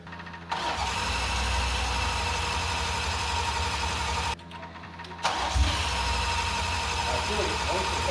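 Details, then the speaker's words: BMW M340i after port injection intake manifold upgrade, fuel pump confirmed working: two long steady cranking runs that never fire; crank no start, suspected flooded, fuel-fouled spark plugs. "Plugs are just torched. We think after all the fuel soakage and how sensitive these can be, not seeing any results, trying to clean them, put them back in."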